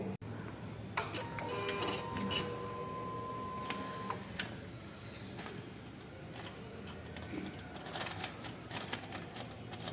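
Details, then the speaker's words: 2016 Suzuki GSX-R600 with an FI error code: a thin electric whir with rattly chattering clicks from the right side, produced by a flap linked to the exhaust servo motor, a common GSX-R fault. "es el sonido lo produce esa toallita que se movió ahorita que es algo relacionado con el servomotor muy común en la gsxr"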